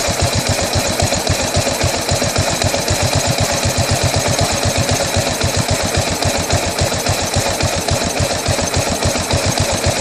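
Single-cylinder idle chugs at about four pulses a second with uneven beats and a loose mechanical clatter, so it is idling rough.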